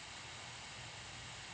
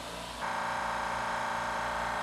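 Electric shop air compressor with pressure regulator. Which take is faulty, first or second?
first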